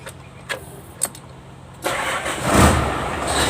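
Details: Hino Lohan truck diesel after fitting the missing bosch pump spring and adjusting the pump: previously hard starting with long cranking needing throttle and stalling. Now a few starter clicks, it catches at once and revs cleanly to a steady run.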